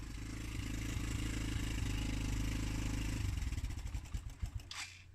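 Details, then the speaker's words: Cold 125cc Suzuki GN125, first start after over a year sitting, revived with fresh fuel and new battery; even thudding breaks into uneven coughing pulses that slow and die out as the choke was turned off too early, engine stalling. "Turning the choke off was obviously a bit too early."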